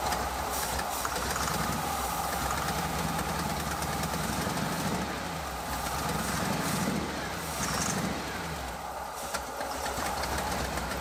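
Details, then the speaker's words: 1986 Ford F150 5.0 V8 EFI, first run after 25 years sitting, headers, glass packs and side pipes: loud lumpy idle about 700 rpm with deep open-exhaust burble and a faint exhaust-leak puff; normal idle. "Oh yeah, brappity brap brap. Looks like we're idling about, well, 700 RPMs."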